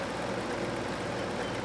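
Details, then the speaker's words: 1982 Hotpoint (GE Fashionaire) 9,700 BTU window air conditioner running: steady loud whoosh with a busy rattle from the worn fan motor, compressor barely audible; owner says a replaced or rebuilt fan motor and new compressor mounts would make it run well. "but yeah again you can't really hear the compressor too well other than the rattling from the fan"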